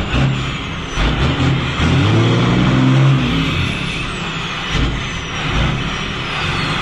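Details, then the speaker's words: 12-valve diesel truck with NV5600 manual and newly installed exhaust brake, driving on a 37-degree day; deep loud exhaust roar builds as the brake engages over road noise; exhaust brake working normally. "oh my goodness okay that was loud i can only imagine what that sounded like"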